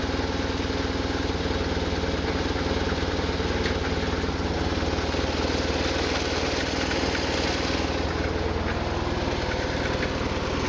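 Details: 1999 BMW R1100RT-P boxer twin at idle: a loose, uneven metallic rattle over the low thump from the engine, no better or worse in first gear, clearest with the mic near the handlebar base.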